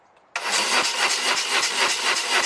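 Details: 1997 BMW R1100RT that ran 30 seconds then died, cranking with spark confirmed: starter spins evenly about four beats per second but never fires; crank no start because fuel pump gets no power.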